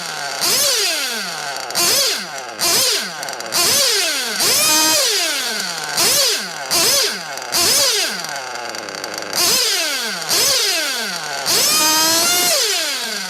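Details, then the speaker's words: 1/8 nitro buggy engine, fully heated, with the top-end needle deliberately set too lean: shrill screaming revs climb and fall in bursts, and the fuel-starved idle hangs high between blips. Lean top-end mixture. "so what you have is you can hear the the ballistic RPMs and then the idle runs on because the engine is star for fuel so it won't idle right either uh when it's too lean on the top [Music] end that's not good"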